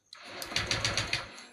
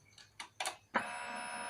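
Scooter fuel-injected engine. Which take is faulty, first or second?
first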